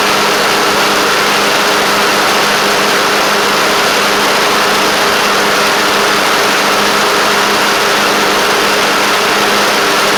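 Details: Craftsman LT1000 with Briggs Intek single-cylinder engine at a steady, even mid-pitched idle with no knocks, misses or hunting; it runs good and shifts great. A deck belt fell off and a double-stack pulley is suspected bent.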